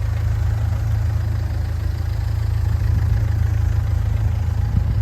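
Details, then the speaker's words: Ford Fiesta 1.4 diesel after repairs. It holds a steady idle with a low, even clatter, described as still sounding like a taxi. No misfire or knock; it is idling smoothly and running well. "Engine running sweet as a nut now. I mean, it still sounds like a taxi, but it's not too bad. Runs great."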